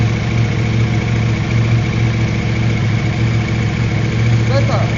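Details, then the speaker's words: KTM 790 Adventure twin with hard-start, one-cylinder-not-firing problem, after new spark plugs: steady even idle with low firing pulse, no misses or stumbles; idling better, though whether fixed is unknown. "Yeah, it's idling better."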